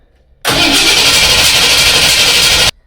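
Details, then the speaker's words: 1978 Ford F150 460 big block, new mechanical fuel pump fitted: about two seconds of steady, even starter cranking, no firing with the coil unhooked, priming fuel into a container; a leak was later found at the adapter fitting. "I've got the coil unhooked so the engine won't try to start. And all I'm going to do is crank it over till I get fuel into that container, and then we can check for leaks."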